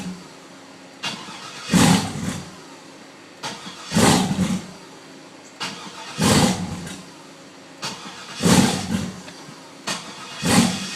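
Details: Truck cranking: repeated cranking bursts about every two seconds, engine turns over steadily but never catches; cranks without starting, cause unknown.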